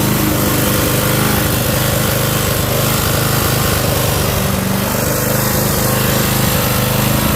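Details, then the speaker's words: Old curbside Toro Recycler 5.5hp GTS self-propelled mower, extended run at full throttle on level ground: steady even single-cylinder chug, no misses or surging; ran better as time went on. "So as you can see, it ran better. Got better as the time went on with it."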